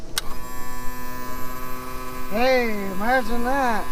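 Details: 2000 Yamaha 60hp outboard tilt/trim after topping up with ATF+4; steady electric motor hum, pitch bending as it takes up load, not leaking; trim pump now working normally.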